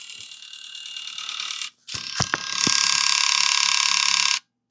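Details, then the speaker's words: Nintendo Wii with faulty disc drive, reassembled and powered on: high buzzing ratchet chatter with sharp clicks; disc drive loading mechanism fault. "We hit our power button. This is the sound I'm hearing. That sounds really bad, doesn't it?"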